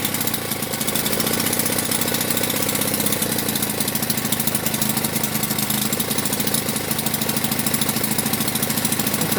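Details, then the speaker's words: Delta moped running after the choke flap was reset, owner thinks it was set wrong before: fast, even two-stroke popping that picks up slightly as the throttle opens; runs cleanly. "Нам такки вдалось його завести. Це просто, напевно, неправильно регулював засунку."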